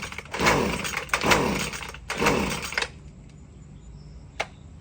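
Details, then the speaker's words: Husqvarna gas string trimmer (weed eater) won't start: after purging primer 10 times, three full-choke and half-choke pull-cord strokes give rasping pulls, sounding a little weak, with no firing or catch; cranking without firing. "I don't know, sounds like it's a little weak."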